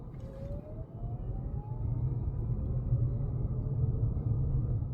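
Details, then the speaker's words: Toyota strong hybrid car, accelerating; thin tone rising steadily in pitch over low road rumble, typical electric motor whine also heard when decelerating, totally normal. "Toyota hybrids also make noises that are similar to an electric vehicle. Like, you'll hear the typical electric motor whine while accelerating,"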